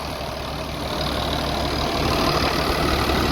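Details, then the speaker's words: 3588 diesel after engine rebuild (new cylinders and pistons), 7,338 hours, idling after leak check; even, quiet clatter with steady rhythm, no knock, miss or hunting, healthy normal diesel idle. "looking good sounding good i can't believe how quiet it is"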